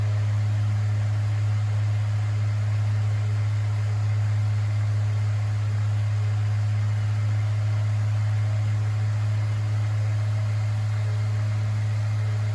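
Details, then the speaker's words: Mainstays 9-inch high velocity fan with shaded pole motor on high speed: fairly loud, steady mains hum with faint even whir, slight rotor noise remaining but far less than before, no bearing chatter. "Does get pretty loud on the high speed. It's making that rotor sound slightly, but it's still not nearly as bad as it was."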